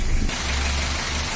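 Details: Mitsubishi L300 diesel after tune-up: steady low idle, even and unbroken, the earlier tapping knock and uneven running gone; engine now runs smoothly.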